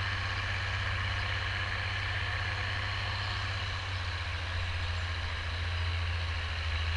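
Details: Oliver 1550 tractor, about 54 hp, pulling a JD BW disk 6–8 inches deep after fuel-system contamination cleared: deep, steady diesel drone pulling hard with no stumbling, surging or knocks; clean, strong running under load.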